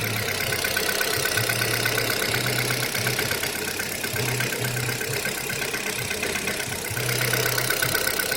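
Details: Kia Rio 3 engine at cold idle: fast, fairly steady ticking knock about two per second riding over the engine hum; cold-start knock, cause unclear.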